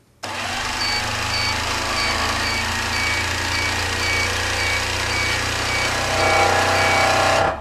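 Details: IntelliStitch Turbo CL stitch-regulated quilting machine sped back up during speed adjustment test: motor spins up and holds a fast, steady whir with rapid even stitching ticks, lifting slightly near the end; normal.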